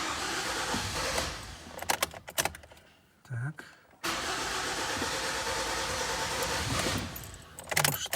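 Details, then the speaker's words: 2012 Kia Sportage G4KD 2.0 petrol, 95,000 km, first start after rebuild for piston knock with block bore: starter cranks in bursts until fuel primes (an injector had been disconnected), then engine catches and runs smoothly and quietly. "Так давайте будем запускать и слушать как-то Все она заработает первый запуск еще раз пробуем"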